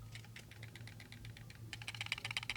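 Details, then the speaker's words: SteelSeries Rival 3 wireless mouse shaken by hand: light plastic clicks and ticks in quick bursts, something loose inside; owner suspects the USB dongle stored in the mouse. "don't know if you hear that there is some rattling i don't know if that's because of the dongle that's in here"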